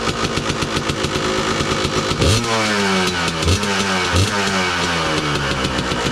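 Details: 2002 Kawasaki KDX 200 two-stroke, usually first-kick start: crisp busy idle with a few sharp throttle blips rising and falling cleanly; KIPS exhaust valve fairly quiet, healthy engine.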